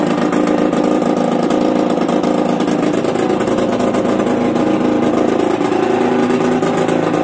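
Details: Yamaha DTR 125 two-stroke, engine from a 2007 electric-start bike, first start after new unrestricted Gilera SC CDI, new seals, powervalve fully open, 240 main jet, Big One exhaust; busy crisp fast idle, pitch rising smoothly with light revs, no misses, normal running.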